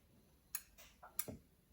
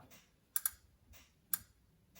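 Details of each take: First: Clicking heard as the 4M40 2.8 diesel in a 1997 Gen 2 Mitsubishi Pajero is turned over slowly by hand during reassembly, intake and exhaust manifolds back on; a few sharp uneven clicks that then stop, cause unknown, engine hard to turn under compression. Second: Mitsubishi Pajero Gen 2 1997 2.8 4M40 being reassembled, engine turned over by hand under compression: sharp, uneven clicks about once a second as the timing chain tensioner ratchet extends; normal.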